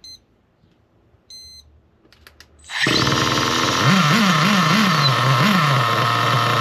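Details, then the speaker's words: Nitro RC car engine as the low-speed needle is leaned in: fires after beeps to a high, wavering buzzing scream holding very high revs with the wheels spinning; further leaning made it quit and it wouldn't restart. "Yeah, guys. You saw the um wheels start spinning and as I leaned it in even more, the engine just quit."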